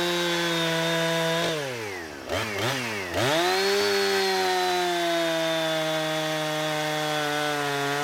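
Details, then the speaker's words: Husqvarna 455 Rancher chainsaw after an ignition coil replacement, cutting wood: the high howl drops in pitch as the bar bites, then recovers cleanly with no stumble. "I ran an entire tank of gas through that thing. Cut lots of sawdust, lots of biscuits or cookies. She runs like it's supposed to."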